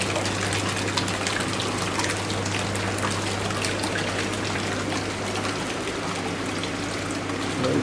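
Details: Jacuzzi hot tub pump, tub filled with water, after fixing the stuck air push-button: steady low motor hum under rushing, gurgling water with no grinding or rattle; pump running normally.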